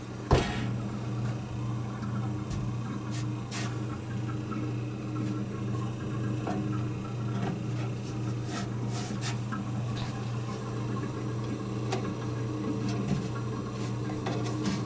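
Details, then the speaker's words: 1930s General Electric CK Monitor Top refrigerator after rewiring and start relay contact adjustment: low steady hum with light clicks, drawing 0.86 amps; compressor stays running, definitely cooling, normal. "Doesn't sound so bad. Sounds like refrigerant."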